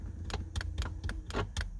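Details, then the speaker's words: Mazda MX-5 with an MX5 Things automatic roll-up windows controller installed: sharp clicks about every quarter second when the window switch is pressed, with no motor hum; window motor does not run. "window clicking as I hit the switch, but obviously nothing's actually happening."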